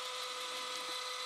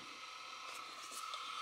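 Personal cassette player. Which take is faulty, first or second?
second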